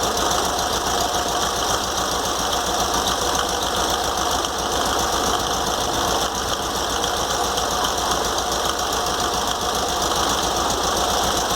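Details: VW Fusca (Beetle) air-cooled engine at idle after spacing the alternator fan from the fan shroud with washers, cleaning the shroud and carburettor: constant whirring whine over the engine beat remains, owner suspects a worn bearing.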